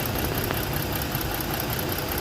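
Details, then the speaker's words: Ford engine misfiring at idle; uneven lumpy beat with recurring stumble on one cylinder. Newly replaced and swapped ignition coil didn't fix it; coil supply voltage present but no spark at plug; suspected igniter module or harness. "they replace the coil by me a problem is still there so for me I'm trying to swap the ignition coil but the problem is still on that cylinder there is no power"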